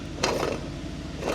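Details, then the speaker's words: Lamborghini Aventador V12 rear auxiliary belt pulley, removed and spun by hand: rough gravelly grumble with rattling bursts; the pulley bearing is completely gone, source of the car's grumbling noise; plan is to service it rather than replace the unit. "Is that the noise? Sounds like it was a kid's tractor toy or something. The bearings completely gone, mate."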